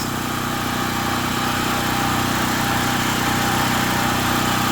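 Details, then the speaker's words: Gasoline 240 V generator converted to run on propane, started in two or three pulls, running wide open; steady, even high-speed drone with no misses or surging, dies when the propane tank is shut; normal running on propane. "there you go I know it's loud but running wide open on propane literally take two or three pulls to crank it"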